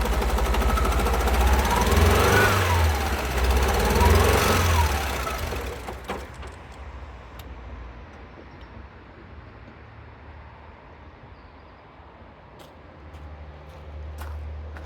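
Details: 2012 Alfa Romeo Giulietta II, 1368 cc 120 PS petrol 940B7000, 164,000 km. Heavy, lumpy low thumping at about three beats a second as it stumbles and dies away: two cylinders have no compression.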